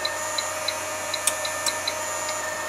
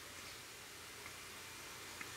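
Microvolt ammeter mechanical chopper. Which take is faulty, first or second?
first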